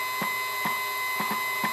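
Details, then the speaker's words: CNC stepper motor, driver set to 4.2 A, powered by a 48 V 240 W supply, speed reduced to 10%; steady whine with sharp irregular clicks as it catches and seems to stall, skipping steps, jerky motion unresolved. "mais il fait toujours un petit bruit de blocage comme ça, on dirait qu'il se bloque. Vous entendez les petits clac-clac?"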